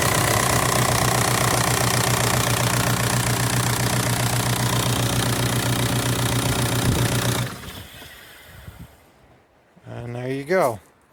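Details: VW ALH TDI diesel from a 2003 Jetta run outside the car on its stripped, reconnected wiring harness for a swap; even clatter at steady idle about four beats a second, no misses, then shut off; healthy.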